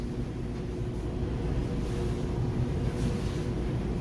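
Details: Dryer after fitting a new belt to replace a frayed one (the idler pulley had popped off and oil was added), previously squealing: steady, even low drum rumble with no squeal or chirp. Normal running.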